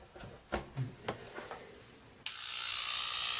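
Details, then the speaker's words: Oster A5 AC clipper on the bench, bent latch noted, first plugged in and switched to low speed: switch clicks then a steady, even high buzz with no rattle; low speed doesn't sound bad, normal. "There's low speed, doesn't sound bad. There's high speed, sounds pretty good for an Oster."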